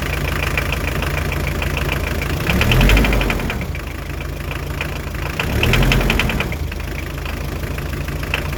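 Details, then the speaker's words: Hyundai Terracan 2.5 diesel D4BH at idle, after injectors were moved to a new cylinder head: sharp metallic ticking about four per second; knock disappears when cylinder 4 injector is loosened; diesel injector knock. "Вот походу форсунка, и я знаю, какая. Это четвёртая."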